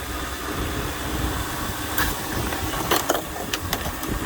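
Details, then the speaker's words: 2001 Lexus LS430 with 3UZ V8: quiet, even idle with a soft hum and a couple of light clicks, engine vacuum around 20 inHg (about 70 kPa). Normal, healthy idle. "so it's a 2001 it's got the 3 Z and it runs nicely this is engine vacuum so we're running around about 20 in of vacuum if you want to talk in inches of vacuum 70 kPa it's actually minor 70"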